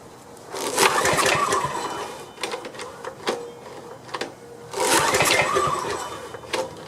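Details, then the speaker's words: Restored Homelite generator with a small drip leak: two rough, rattling pull-start bursts a few seconds apart that never catch; owner suspects the carburetor is still clogged. "well something's going on once the carburetor still clogged up"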